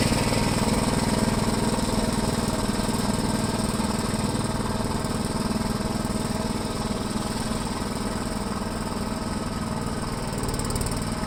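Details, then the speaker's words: 1973 Gravely C8 tractor, donor single-cylinder engine after a swap and ignition timing, with the plow attached; earlier backfiring has cleared. Steady putter at about four beats per second, even and unbroken with no pops or backfires: running cleanly. "all right it's not too bad we'll do a couple of laps here and see how it does"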